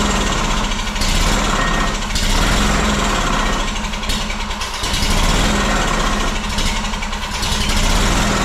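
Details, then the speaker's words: Two-cylinder Honda engine after sitting 10 years in a shed, fed from gas jug, carb cleaner in throat: runs fast but surges and sags about every second, losing power; appears not to be getting fuel, carburetor suspected, unconfirmed. "just about lost the gas truck but doesn't appear to be getting any fuel she should have sucked up gas running that long"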